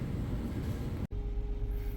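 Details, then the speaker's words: Car idling after a misfire repair, with connectors, vacuum hoses and seal refitted: steady, even low rumble with no stumble; sounds much better, and no misfire is felt where one was felt before. Normal idle. "all right so I'm in in the car it's running it sounds excellent sounds much better than it did before I don't feel any misfire right now nothing and I did feel it before"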